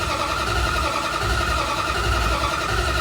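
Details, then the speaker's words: 1971 Plymouth Barracuda cranked over with distributor unplugged so it won't fire, testing newly installed aftermarket oil pressure gauge; steady starter whir with uneven compression pulses, no firing; normal cranking, gauge then reads 60 psi oil pressure. "just unplug the distributor yeah so that should save us from firing this thing up and waking everybody up but uh yeah i think we crank on it and see if we get some oil pressure"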